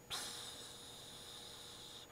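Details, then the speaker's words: Air conditioner low on refrigerant, unit switched off, ear held right up to the evaporator coil: a quiet, steady high hiss lasting about two seconds as refrigerant escapes through a leak; more than one evaporator leak was found. "that's basically where that freon is actually the leaking is leaking out and basically you can trace down that that hissing noise and you can find your leak"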